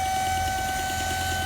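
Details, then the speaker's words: Supercharged car, hot engine at idle: steady high-pitched squeal over smooth idle, appearing only once oil reaches about 90°C, absent when cold, gone under throttle; leaking supercharger intake hose. "jest dosyć znany problem jak słyszycie dźwięk jest mega wkurzający dźwięk się pojawia dopiero po osiągnięciu temperatury tam oleju około 90 stopni na zimnym tego dźwięku nie ma ten dźwięk występuje na luzie"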